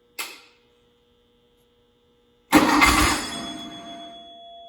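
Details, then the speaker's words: 1972 VW Beetle with a newly built engine, fuel poured into the carburetor top and 40 oil pressure on cranking: a click, then a loud burst of running that fades; engine firing briefly on primed fuel. "fired. It's doing stuff. Now it might take a few tries because the fuel has to pump into the pump and then up to the carburetor. So that was just running on whatever I poured in the top."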